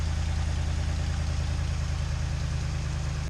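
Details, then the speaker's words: Truck V8 after water pump and thermostat replacement and mechanical fan removal, electric fan only: deep, even idle with steady low rumble and no fan roar; much quieter, engine sound more prominent without the mechanical fan. "Yeah, so it is way quieter in here. It emphasizes the sound of the motor because usually what happens is the fan actually drowns it out a bit and it makes it"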